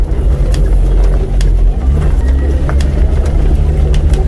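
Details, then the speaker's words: Car driving over speed bumps and potholes: deep road rumble with sharp knocks about a second apart, a suspension clunk from a loose part. "Estos son perceptibles cada vez que tu automóvil atraviesa caminos irregulares como topes como bache"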